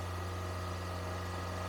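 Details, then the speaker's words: Engine on a cold day stuck at a high cold idle of about 2500 rpm, with a steady, even hum and no dip. Pinching hoses makes no difference; the cause is suspected, not confirmed. It smokes quickly; a possible blown head gasket is suspected. "you notice how many RPM it's at 2500 that's actually not terrible for a cold day"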